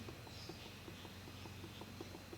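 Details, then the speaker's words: 1990 Honda XLR250R Baja engine during rebuild, crankshaft rocked up and down by hand: sharp light ticking clicks. Owner assumes crank play exceeds the 0.1 mm service limit and plans to split the crankcase and replace the crankshaft bearings. "actually you hear it he a click and I assume that that click indicates that the play is more than 0.1 mm so I'll have to uh tear my engine apart split can crank case uh replace the crankshaft bearings"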